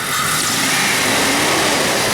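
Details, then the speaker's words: Jeep Cherokee 4.0 inline-six revving after a new radiator, fan clutch and stainless exhaust manifold were fitted. A steady rev under a strong, smooth rush of fan air. The new fan clutch engages properly and pulls plenty of air; the engine runs normally. "got a pretty good exhaust way that's the air sucking in for the intake but I can really hear that fan big difference in the fame clutch as far as like pulling air in"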